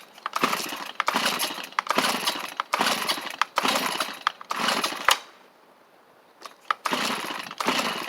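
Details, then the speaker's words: Free Stihl chainsaw: repeated rope pulls about once a second with one brief sharp pop but no run; hits once and dies, owner suspects flooded; hard starting. "does not seem to want to go y'all heard it hit that one time and I'm wondering if the die wonder if it's just flooded"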